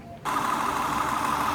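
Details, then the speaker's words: 2002 Acura TL (non-Type S) idling after cleaning carbon-clogged EGR ports, done to cure a rough cold-start idle: the engine settles into a smooth, even idle with no shake or stumble, now running cleanly. "But it sounds a lot better right now, and at the same time it's not shaky, so that's a good thing."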